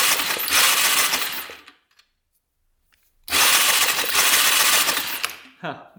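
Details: 1998 Honda 300EX quad with no spark: two bursts of fast, even starter churning with a pause between, never firing; cranks with no spark, with water found at the spark plug tip.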